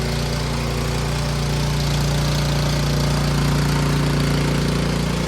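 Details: Troy-Bilt 24-inch snowblower, small single-cylinder engine, after tune-up with new spark plug, oil change, timing check and carburetor clean; smooth steady firing, no misses, knocks or hunting at low and high idle; normal running.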